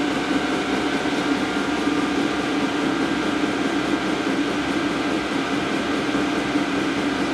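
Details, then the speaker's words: Diesel heater after burning out a clogged burn chamber from diesel mixed with waste motor oil: steady, even hum with constant fan whirr, no sputter or surging; burns smoothly though it started slightly wheezy. "so as you can hear it is working"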